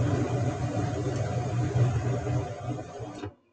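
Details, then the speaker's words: Mid-efficiency gas furnace with flame sensor disconnected, second of three ignition tries: burners rumble about three seconds then cut to silence as no flame is sensed; LED flashes error code. "typically systems will try three times before they give up and give you an error code so here's time number two by the way that led is now flashing an error code saying that there's been a problem"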